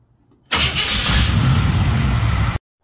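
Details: 1979 GMC C3500 small-block 350 V8 after mechanical fuel pump replacement, primed with starting fluid: starter catches within a second and the engine fires into a steady, deep idle, starting cleanly with fuel now reaching the carb and filter.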